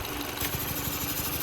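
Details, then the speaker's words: Chevy Malibu with a brake booster pressure sensor code and a vacuum pump replaced twice has a fast, even ticking over a steady idle, seemingly from the vacuum pump; suction is good, but the owner suspects the vacuum pump is failing again. "Sounds like it's about to kill the car, honestly. There's good suction, so I have no idea. That does not sound normal, if I had to assume."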